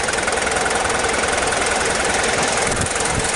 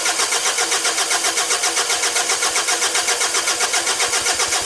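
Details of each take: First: Mazda WLT diesel in a Ford Ranger after a VE injection pump swap, with timing eyeballed and the pump filled with 2-stroke oil after sitting. Steady, even diesel clatter with no stumbling or hunting; normal idle. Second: Mazda WLT diesel in a Ranger after a VE injection pump swap, pump not yet timed, injector lines cracked to bleed fuel: fast, even cranking at about four beats a second for five seconds, no firing, then it stops with a few clanks; cranks but no start.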